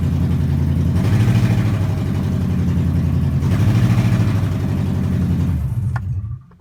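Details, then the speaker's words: Lincoln LS V8, 186,000 miles, cats cut off, no O2 sensors, ignition coils temporarily resting on the plugs, unrun 3–4 days: long crank, then deep, lumpy, uneven pulsing through open pipes with missed beats; misfire, at least one coil not firing. "I'm still not used to how long this thing might crank over and obviously as you hear it's running like there's no O2 sensors"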